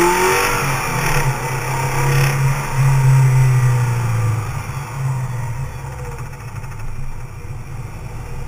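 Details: 2004 Subaru Liberty/Legacy, EJ25 naturally aspirated: the engine revs and drops back, with a faint irregular knock most prominent when lifting off the throttle above 3,500 rpm; cause unclear.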